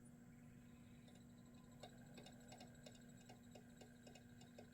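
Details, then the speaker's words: Sega CD Model 1 disc drive after a cap kit, with a suspected blown driver board; faint irregular ticking and clicking over a low hum as it seeks repeatedly, detecting the disc but failing to read it. "can you hear that oh yeah that sounds like complete trash okay so I think the best thing to do now is I'm going to tear it down"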